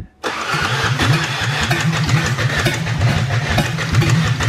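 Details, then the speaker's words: 2004 Ford Ranger Tremor, suspected water in engine, plugs pulled and cranked earlier, fuel tank drilled: starter turns the engine at an even, steady rhythm for seconds but it never catches; crank no start, no fuel. "there's no gas in it"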